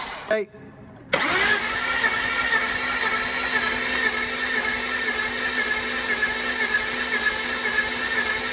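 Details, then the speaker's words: BMW E46 with M52 engine, towed in dead after cutting out: battery-charged cranking at normal speed with almost no compression pulses after a brief start; massive compression loss on three cylinders, fuel vapour from a cylinder, possibly a valve held open. "We've got a massive compression problem on three cylinders."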